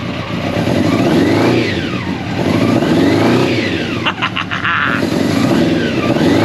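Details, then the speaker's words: Old Honda CBR600 track bike, free, first start after sitting long, on choke, not yet warm: revs climb and fall smoothly in repeated blips, a bit boggy; runs and revs, normal running. "that's a win the free bike she runs I'm gonna have to run it out properly up to temperatures a bit boggy there"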